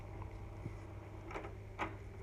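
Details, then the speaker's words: Grundig TK40/TK46 valve reel-to-reel after idler casting repair and drive pulley shimmed: rewind gives even low motor hum with light clicks, strong drive that can't be stopped by hand; normal rewind. "the backward the rewind which uses this roll-up it's very strong really enough stop can't stop it"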